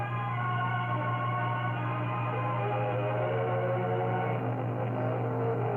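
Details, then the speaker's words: Webster-Chicago 81-1 wire recorder playing back music recorded from a too-hot max-volume input, playback volume and tone at max: dull, muffled music, quiet yet gritty and overdriven over a steady low hum, oversaturated. Distorted playback. "It is oversaturated, but I don't know if that's the proper term, but it sounds like it's being played at max volume even though it's very quiet."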